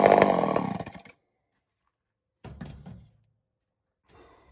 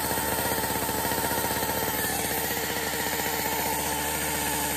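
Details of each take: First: Homelite Super XL-923 82cc chainsaw test fire, on-off switch troublesome: short, crisp full-throttle bursts that rev up and drop off cleanly; tuned up easily, slightly rich on low speed, loud, healthy and snappy. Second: Two-stroke chainsaw test-fired, running unevenly with a whine over the engine, pointing to a worn, shot clutch.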